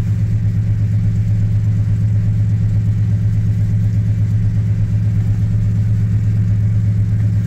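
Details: 1986 Chevy K10 carbureted truck, carb and choke recently tuned, sat about 1.5–2 months in a tarp garage, cold at about -6°F: deep, steady low rumble holding an even idle, no stumble, hunting or misfire; normal cold idle.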